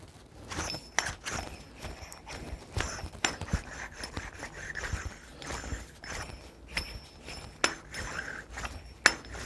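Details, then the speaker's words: Irregular metallic clicks and knocks over a dull rumble: failed hub wheel bearing, still greased, with a ball bearing come out of place. "these noise are going to be consistent especially when you're driving here is an example of a bad wheel bearing that's making some sort of noise"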